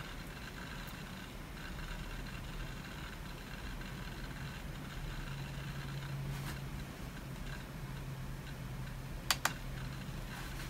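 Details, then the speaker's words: Old laptop running Windows XP, first powered on in about 15 years: faint irregular rapid ticking over a soft fan hum as the hard drive seeks busily, apparently indexing; normal activity, not a fault. "and the hard drive is just going to town here it's sounds like it's indexing like i said this thing hasn't been powered on for i think she said 15 years"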